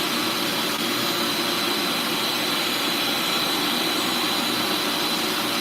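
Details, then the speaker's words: Bissell Lift-Off carpet shampooer: steady, even high-pitched rushing whine with no surging, rattles or pitch drops. Suction is strong at the floor nozzle, which is how the diverter is meant to work. No suction at the upper tool in this position, which is normal. "But the suction should be good at the bottom, right? Cuz that's the diverter. That's how it's supposed to work."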